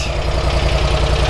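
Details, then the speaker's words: Bush Hog zero-turn mower engine running after valve cover repair: even, low thumping beat at idle with no misses or stumbles, ticking over steadily and healthy. "thank you that sounds great"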